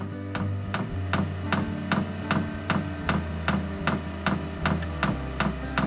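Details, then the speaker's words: HCalory SS2 diesel heater in a garage at startup, drawing about 20 W: fuel pump priming with steady rapid ticking around two and a half per second over a low hum as the fan slowly builds speed; normal startup. "okay okay you hear the fuel pump priming right now it's uh doing a prime now the fan is slowly coming up to"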